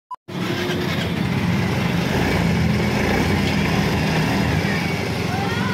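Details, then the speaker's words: Yamaha Mio 125 scooter after connecting rod replacement for noisy engine: even, steady run, smooth exhaust, no rough knocking; earlier harsh noise from cracked connecting rod gone, though engine still consumes oil. "wala na yung ano nawala yung ibang gaspang na tunog dahil doon lamat na ano connecting rod"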